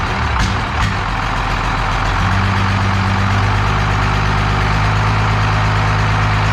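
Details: 12-valve Cummins diesel on an engine stand out of the truck, first run after a rebuild for glazed cylinders (very low mileage, cause unknown; deglazed). Deep, steady idle with an even low thrum, no knocks or rattles; running healthy.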